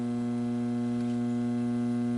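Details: 1966 Ampeg J12D Jet tube amp with new capacitors and power cord: a loud, steady low buzz-hum with evenly spaced harmonic tones, heard during powered tests.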